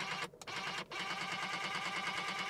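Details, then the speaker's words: 1994 Mercedes SL320 (R129, M104 inline-six, 59,000 miles, one owner) driver power seat adjusting: motor whir with rapid rattling buzz; grinding noise, owner suspects worn plastic parts, though seat still moves. "so when I'm trying to adjust the seat the driver seat it is making kind of weird noises probably all the the plastic"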